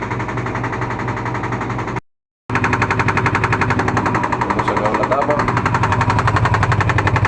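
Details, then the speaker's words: LG washing machine spinning: loud, rapid rattling knock, about three or four hits a second; noise persisted with pulley removed, gone with balance ring removed. "Lavadora LG en centrifugado. [Aplausos] [Risas] Presenta un ruido fuerte."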